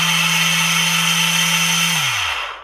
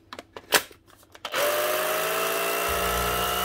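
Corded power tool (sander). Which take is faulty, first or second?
first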